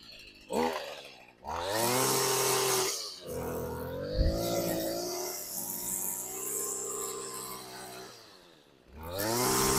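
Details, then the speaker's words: Small two-stroke engine after carburetor service, started with choke then choke off: initial bog, running lean, then crisp, clean revs rising and falling smoothly and holding a steady high buzz without stumbling; now runs properly. "There's a bit of a bog there. Let me just... Yes, it's lean. That's better. We've got it!"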